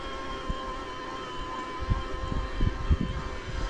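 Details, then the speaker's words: Himiway Rambler Premium e-bike with a Bafang M600 mid-drive motor, climbing a hill under pedal assist: a steady thin whine over soft thumps, slightly higher-pitched in lower gears at higher cadence. Normal mid-drive motor whine. "And as I get into a lower gear where I'm spinning those cranks more, you hear that whine just a little bit more on the high pitch side, but not bad."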